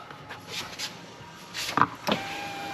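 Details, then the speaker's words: 2003 Jeep Grand Cherokee right rear power window after installing a Dorman 741-375 regulator, final test: soft, smooth motor hum with a light thump as the glass hits its stop, no grinding or binding; working normally. "Perfect. It even sounds good."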